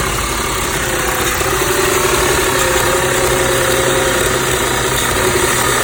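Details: 2006 Audi A6 idling rough, noticed two days ago along with power loss at low speeds; owner asks whether the PCV valve is to blame. Slightly uneven, wavering idle beat of about four pulses a second. Cause unconfirmed.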